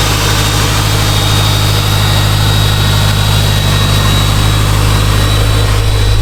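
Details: Subaru STI with GTX3576 turbo, first cold start after two months sitting, in neutral, warming up to bleed coolant: loud, steady, slightly raised idle, even low rumble, faint high whistle, no knocks; burning off residue and smoking, normal cold idle.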